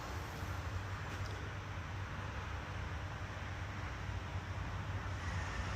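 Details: Whirlpool microwave after magnetron replacement, heating a cup of water: low, steady hum with an even fan rush and no crackle or snapping. Before repair it didn't heat and the magnetron arced loudly; it now runs normally.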